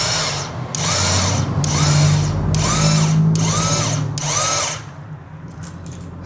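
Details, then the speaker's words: Royal Enfield Classic 350 not starting: starter motor spins but one-way sprag clutch bearing is worn and freewheels without engaging; steady motor whine with rapid ticking about three per second, fix is replacing the sprag clutch. "See that the starter motor is actually working. It's trying to rotate this one. But the bearing there is s. It's actually a oneway bearing. It should only be moving one side. This case it's already gone. So it is keep rotating on one side without engaging on this side."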